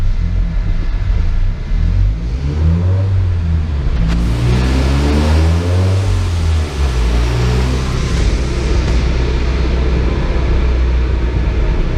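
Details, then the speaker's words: Turbo van on dyno used for load, live laptop mapping after new wastegate springs and bigger fuel pump: engine pulls up cleanly under load, pitch rising smoothly, no knocks or misses; slightly rich flat out, 172 kPa boost. "Sounds good though. Just notice it's a little bit rich flat out as well."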